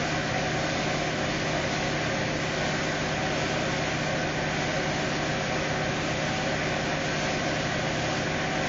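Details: 2018 Fiat Uno Evo Fire engine idling after repair, gasket previously installed reversed; steady even hum with no knocks, ticks or rattles; smooth and healthy.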